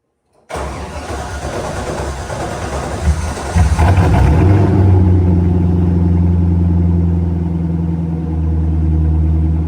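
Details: C5 Corvette V8 first start after rodent-infestation cleanup and rebuild, cluster and dash reinstalled: brief crank, then catches and settles into a deep, even idle with a steady low rumble; healthy.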